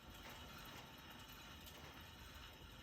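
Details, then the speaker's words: 1994 Mercedes C280 W202 front wheel spun fast by hand gives a dry, gritty rumble with a faint scraping rhythm; a worn wheel bearing is suspected, possibly mixed with brake pad drag on the rotor, not confirmed. "Okay, now I'm gonna be spinning my tire really fast to see if a noise increases, because a wheel bearing, bad wheel bearing should make a louder noise when traveling fast."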